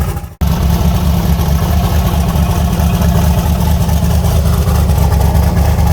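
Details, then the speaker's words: '74 Nova with an S480 turbo just installed and chopped diesel-truck exhaust, fired up cold at about 27°F: deep, heavy, lumpy V8 burble settling into a steady even idle right after firing, no knocks or rattles. Healthy idle. "She is. She's fired up and sounds good."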